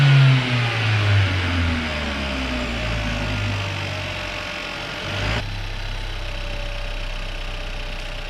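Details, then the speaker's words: Chevrolet Cruze after catch can and new intake install: engine idles then revs cleanly and settles, PCV noise gone; sounds healthy. "definitely a plus i don't hear that noise anymore"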